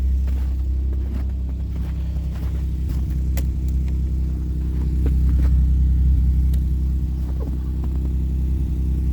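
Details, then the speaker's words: High-mileage used car idling during a pre-purchase inspection in Ontario: a heavy, steady low rumble with a regular pulsing beat from an exhaust leak that the seller had already disclosed, judged serious rather than small. "आप ये देखें, ये आवाज़ सुने, exhaust leak है। इन्होंने पहले ही हमें बता दिया था कि एग्जॉस्ट लीक है।"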